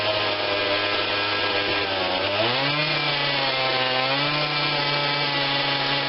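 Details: Husqvarna 142 40cc chainsaw, start on choke only (no primer bulb), before carb tweak: low idle drone rises, briefly sags and recovers before steadying; stumbling idle, carb adjustment planned.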